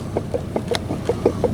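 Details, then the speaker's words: Old water pump removed from a Chevrolet S10 hunting truck, turned by hand: light metallic dinks about every fifth of a second as the worn shaft rocks in its bearing. Shaft play found, so the pump was replaced. "hear it. That dinking noise is the shaft moving. Never had one do that."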